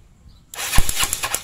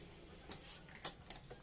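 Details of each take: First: Yamaha Mio Sporty scooter that is hard to start: a short burst of rapid cranking pulses, and the engine never catches. Ignition was checked and is normal; the no-start is caused by too-tight intake and exhaust valve clearance, and the fix is a valve adjustment. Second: Yamaha Mio Sporty carbureted scooter that would not start despite good spark: several bursts of cranking, then it catches into a smooth even idle after adjusting tight intake and exhaust valve clearance; normal start and idle after repair.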